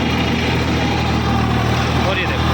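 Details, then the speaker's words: Eicher 557 tractor driving a rotavator via PTO in first gear, about 1600–1700 rpm, draft and position levers fully down; steady droning hum over an even diesel beat is the dual clutch, noisy from the start; engine itself sounds fine. "अब जो ये घूंघ की आवाज सी आ रही है ना तो ये भाई इसकी ड्यूल क्लच की आवाज है। बाकी इंशन का साउंड सुनो आप।"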